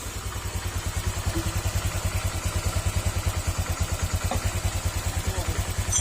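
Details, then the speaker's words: Honda Click 125 V3 scooter idling too low, slow and lumpy with a heavy knock each beat as if about to stall; low idle can loosen seals and bearings inside the engine. "may lumalagutok mga sir tapos kal mo Parang mamamatay kapagka ganyan mababa yung Menor"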